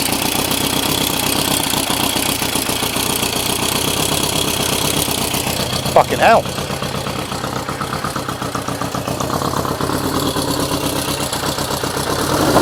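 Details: Engine running on old lawnmower fuel through vacuum-fed carbs with no air restriction: uneven stumbling pulses with a hiccup partway; rough running the owner expects from the unrestricted carbs.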